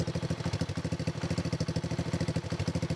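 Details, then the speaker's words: X18 pocket bike, small single-cylinder, jump-started after oversized carburetor replaced with stock carb: quick even putter at steady idle, no sputter or hunting; quieter than before, runs clean, normal. "Sounds good. Very quiet bike. Very quiet bike. Sounds a lot better than before, definitely."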